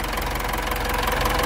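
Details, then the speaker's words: 2018 Mitsubishi Triton HDX 4x4 diesel, 120,325 km, at working temperature (gauge 3/4), revs easily past 2000 rpm: even, unbroken clatter, no misfire, almost no blow-by; normal healthy idle. "ini temperatur sudah suhu kerja RPM sangat responsif artinya mudah untuk melewati batas dari 2000 rpn kita dengarkan suara mesinnya mesin sangat"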